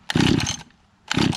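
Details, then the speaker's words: Small pull-start two-stroke not started in six months, with the owner unsure whether the switch and choke are on or off: two short rasping pulls about a second apart, neither catching. It is hard to start; the cause is suspected, not confirmed. "i haven't started this thing in six months i want to say i forget whether or not this is off or on it doesn't say it doesn't say anything so let's see if it starts that's not good"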